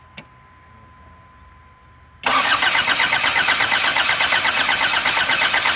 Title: 1984 isuzu pup turns over but won't start